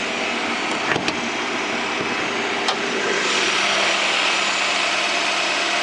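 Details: 1998 Honda Prelude with oil pressure light flickering at idle, oil level fine and freshly changed: steady hissy whine over the running engine, strongest in upper pitches, with light clicks; not power steering, pulleys or timing belt; owner suspects oil pump.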